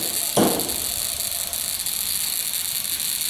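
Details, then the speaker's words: Buzz coil after point adjustment, about 1.2 amps on the meter: short snap, then a steady, high, even buzz; points vibrating consistently, good spark every time. Capacitor suspected weak, possibly moisture. "1.2 ants I'm getting a good sport all the time"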